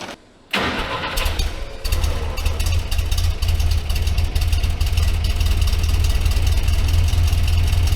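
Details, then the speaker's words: Barn-find 1964 Jeep CJ5 after new muffler installed: cranks, catches and settles into a steady, even low rumble with no rasp or leak; sounds much better than before the muffler. "oh yeah this thing sounds way better"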